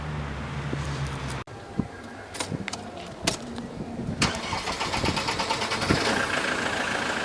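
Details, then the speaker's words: Land Rover Defender Puma 2.4 TDCi diesel, cold start after injector cleaning and new seals: short crank, then it catches into an uneven clattering idle. It always dies on the first try and starts on the second. The cause was later found to be leaking injector return-valve O-rings. "I think we got a problem cuz on a cold start, basically the um the car won't crank. it always always dies and then you switch it on again and it will switch on second time."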